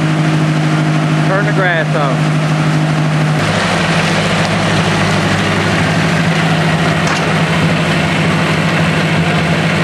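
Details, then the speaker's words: 1964 Ford 4000 tractor with a carburetor fitted in 2010, not cranked beforehand and cold, started with a little choke: the starter whirrs briefly, then the engine catches and settles into a steady, even low idle with no misses. It is a normal cold start. "hasn't been cranked has not been cranked so it's cold with this carburetor I've had to get a little choke when I first crank it"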